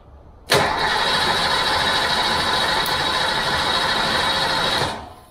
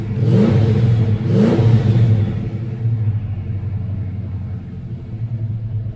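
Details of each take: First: 1988 Fox-body Mustang being revived with a new fuel system, coil wire just connected, having never built oil pressure: a steady, fast starter churn for about four seconds with no catch or firing; engine cranks but does not start. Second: 1988 Fox-body Mustang revived with a new fuel system, after first start: two quick throttle blips, then a deep, even idle that settles and holds steady; normal running.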